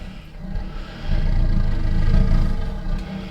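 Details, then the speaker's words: DIY used-oil burner first test burn after new air-inlet install, damper being turned down: low, steady rumbling roar swelling and easing with the draught, no sputter or popping; healthy burn, top and chimney warming. "Yeah. I can hear roaring away in there."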